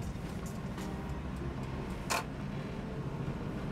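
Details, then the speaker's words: 1988 Volvo 240 DL sedan revived after abandonment, running with a newly installed stock exhaust: only a low, soft drone and road hum with no rasp, blatting or leak puffs; the exhaust is quiet and intact. "but that's impressively quiet like uh I can now hear myself think"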